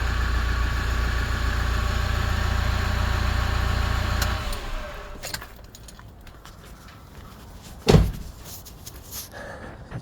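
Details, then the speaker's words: 2007 Toyota Fortuner D4D diesel at about 375,000 km, started right after an oil and filter service and hand-pump fuel priming: steady, even low idle rumble for about four seconds, then shut-off and a door thud. Normal healthy diesel idle. "let's start it and see how it goes so yeah let's just see 375,000 $833,000 km still going strong Toyota perfect"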